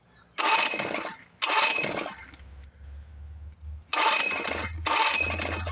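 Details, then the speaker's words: 1970 Evinrude 6 hp outboard from a scrapyard after long storage, starting fluid used with no choke: four harsh pull-cord rips with brief mutters and no firing. Not getting fuel, carburetor suspected; cranks but won't start. "Okay, so she's not getting any fuel. So, I'm assuming it's the carburetor."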